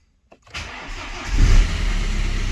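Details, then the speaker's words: BMW 1 Series N47 2.0 diesel that had a bad knock and red oil pressure light, started after repair with very low fuel: brief crank, clean catch, one flare, then a steady, even idle; engine sounds healthy. "holy smokes do you hear that engine sounds amazing no air or whatsoever it's done"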